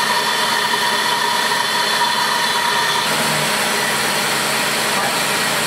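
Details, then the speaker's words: 1995 Oldsmobile 88 3.8L 3800 V6 idling on first start after replacing leaking upper intake manifold with new Dorman 615-180: steady idle with a constant thin hiss and faint whistle, attributed to the idle air control (IAC) valve. "the IAC is what make that noise"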